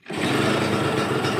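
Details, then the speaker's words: Yamaha TZR150 two-stroke with slotted exhaust, starts easily: crisp, even burble with steady buzzy note, no knocks or rattles; runs clean and healthy. "เครื่องติดง่ายนะครับผมเครื่องเงียบๆเลยท่อผ่าเรียบร้อยร้อยไฟท้ายติดครบใบหน้าเบรกหน้าหลังใช้งานได้ปกตินะครับ"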